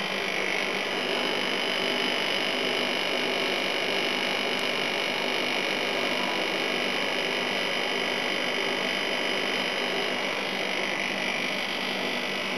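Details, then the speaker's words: Second A/C unit, with gas in it, running after earlier dry-sounding start attempts: steady, even whoosh of fan and compressor with no knocking or rattles as it settles in; set to high fan, working normally. Coils damaged and jammed into the case. "Yeah, it seems to work. I'll pop it on high fan and let it do its thing."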